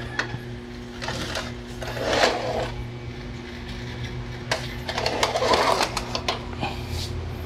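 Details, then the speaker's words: Epson L360 printer that had no power, tested after power supply work: a quiet hum with whirring and ticking as the carriage and rollers run their startup cycle. It powers on normally. "it should power on if there is no other problem pressing it reveals the power"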